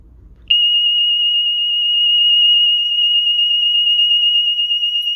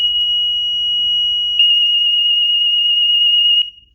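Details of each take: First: DSC home alarm panel panic function test: piercing steady high police siren for about seven seconds, then short chirps as it is disarmed while the system dials out. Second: DSC alarm system test entered from the keypad with the four-digit code: high piercing siren tone held about a second and a half, then rapid even pulsing for two seconds before stopping; siren test working.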